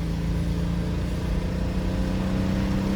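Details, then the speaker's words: 1994 BMW 325i, off the road 5+ years, before coil replacement, at full throttle: engine drones with a rough, uneven beat and barely gains revs, painfully slow and loud, running on 4 of 6 cylinders because two ignition coils failed. "It's been super loud, super obnoxious. It's really slow, obviously because it's running on 4 of the 6 cylinders."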